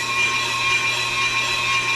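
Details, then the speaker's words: Brake rotor being machined on the car with a Pro Cut on-car lathe: a steady, piercing high ring over the cutting hiss is tool chatter against the rotor. "You hear that ringing? We don't want that. The chip deflector also dampens vibration, so the ringing goes away."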